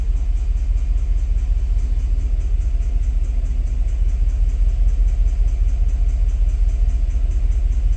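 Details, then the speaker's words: On a 2017 Cadillac Escalade gasoline at first start after engine reassembly, a deep, heavy idle pulses unevenly about twice a second as a misfire shifts to cylinder 1. The cause is a bad spark plug; replacing the plugs cleared the misfire. "1번 쪽으로 실화가 옮겨갔기 때문에 요거는 플러그 분량이라고 판단하고요 플러그를 싹 교체를 하도록 하겠습니다"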